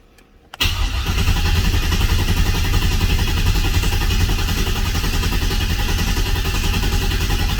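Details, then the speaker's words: Oldsmobile 442 after rebuild (new cam, pushrods, oil pump, valve springs, heads, gaskets), cranking with injectors unplugged and no fuel pump to build oil pressure; steady, even starter cranking about three and a half beats a second, no firing. "okay guys we're going to crank for oil pressure again here we go"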